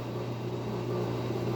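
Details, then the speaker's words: LG washing machine, spin cycle test after fixing DE error, side screws not yet refitted: low steady motor hum with faint whir, no knocking or scraping; drum spinning normally, no error shown. "Bueno, como pueden ver, ahí ya empezó a girar. Nos marca los 10 minutos, no nos marca ningún otro error."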